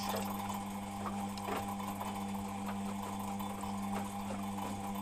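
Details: Beko WMP 601 W 6kg 1000 rpm A+ washing machine: faint irregular scraping bursts about every second over steady motor hum while the drum tumbles; grinding during wash, not on spin, cause unknown.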